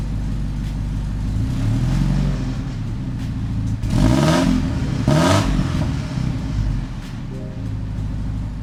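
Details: 1986 Porsche 944 Turbo after replacing the faulty open-circuit DME temperature sensor (old one read over 2,000 ohms) with a new Bosch 0 280 130 026: engine fires and revs cleanly, settles to a steady even idle, no smoke, no misfire.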